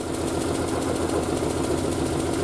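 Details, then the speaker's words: Triumph Spitfire after single carb conversion, running about a minute and a half, already off choke, still steaming; smooth even four-cylinder idle, no misfire; slight knock is the bonnet flapping, not the engine – normal idle. "Appears to be running okay. Obviously she's still steaming. You can hear a slight knock noise. It's my bonnet flapping around, not the car."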